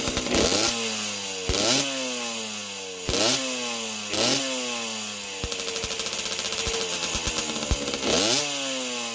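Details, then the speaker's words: 1981 Yamaha YZ60H two-stroke rescued from dump, carburetor cleaned, started with fuel poured in: crisp ringing note blipped up and down, revs rising and falling cleanly and settling to idle; runs fine, some oil from exhaust. "Well, it runs nicely. I just have to put a bit of fuel down the carby to start it. Otherwise it starts, it idles nicely and"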